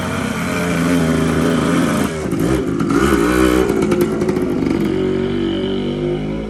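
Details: TC125 two-stroke dirt bike after a carb clean, new fuel line with filter and a swapped spark plug: crisp throttle blips rising and falling, then settling to a steady idle; revs cleanly and responds well, normal running.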